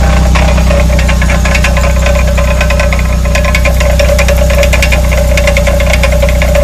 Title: Rear hub rattle noise